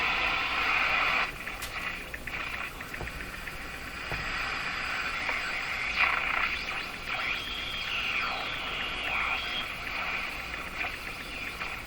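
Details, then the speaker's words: Jewel Model 505 vacuum tube clock-radio after repair and resoldering: hissy static with a faint station coming through at steady volume, no crackle or dropouts; receiving normally, dial inaccurate. "I hear a station I hear it I don't think the dial is anywhere as near accurate"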